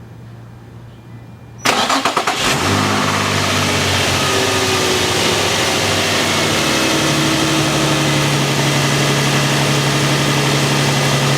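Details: 2005 Infiniti G35 coupe at about 69,581 miles: on startup it cranks with a rough clanking grind for about a second, then settles to a fast even idle. The noise began at 42k miles and dealer repairs have not fixed it.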